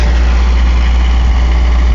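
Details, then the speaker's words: Mercedes 240D diesel with white smoke, idle set as low as it will go: heavy steady clatter held at fast idle that never settles lower; high idle, cause unconfirmed. "she idles down about like that and uh as far as low as I can get her the idle"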